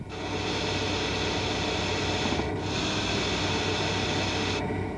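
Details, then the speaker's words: Hydraulic power steering: steady high hiss like a tyre slowly deflating over a low hum, most evident when maneuvering stationary; inherent to the rotary valve from fluid passing valve orifice edges at speed, not a fault. "ele fica mais Evidente em manobras com o veículo parado é inerente à válvula rotativa e resulta da passagem de fluido hidráulico pelas bordas dos orifícios da válvula em alta velocidade não é considerado uma falha"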